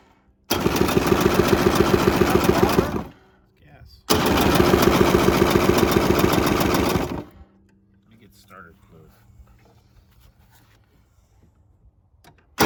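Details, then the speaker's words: Polaris Trail Boss 350 quad abandoned 15 years, jump-started with choke, nearly empty tank: two cranking bursts of uneven chuffing about four per second, never catches; owner suspects junk-filled carburetor. "close no chance that didn't sound good that did not sound good"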